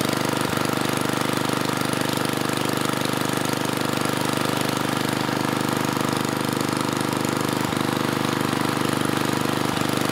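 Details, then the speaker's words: Tecumseh 3 hp (HS35, H35-45593R) engine on mid-1980s Troy-Bilt Junior tiller at full throttle: an even, steady drone whose pitch sits low and never climbs. Only about 2400 rpm, where at least 3000–3600 is expected; governor spring tension adjustment planned. "when I bring it to Full Throttle we're only getting about 2400 RPM out of this machine and I would expect at least 3,000 if not 3600"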